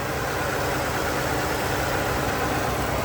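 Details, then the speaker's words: Salvage-auction vehicle with a 550 V8 that started right up despite deployed airbags and a lit traction control light: a steady, full idle rumble with no knocks, ticks or misses, sounding healthy. "airbags deployed traction control light is on other than that not too bad sounds healthy yeah buddy 550 V8 that's what we"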